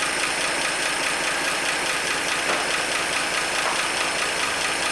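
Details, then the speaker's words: 1948 Chevy stovebolt inline six, first run since 1989: steady even idle, light regular valvetrain tick over a smooth note; vacuum and oil pressure slightly low, owner suspects carburetor or intake bolts; normal idle. "man she's just purring away yeah [Applause] looks a little low but we do have pressure man it runs good"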